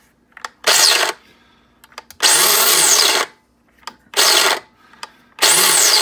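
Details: Mr. Coffee grinder about six months old, set near its highest setting (15–16), grinding an extra-large batch. Motor whirs up in bursts of under a second and cuts out each time, stalling mid-grind; cause unclear.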